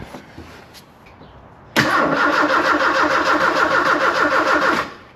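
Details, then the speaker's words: 1984 Kolb Ford Thunderbird Turbo Coupe parked 35 years: first crank gives a steady, even starter churn about three beats a second for three seconds, turning over effortlessly with no catch; cranks normally but doesn't start. "It cranked over. cranked over pretty effortlessly, too. It sounded nice and even."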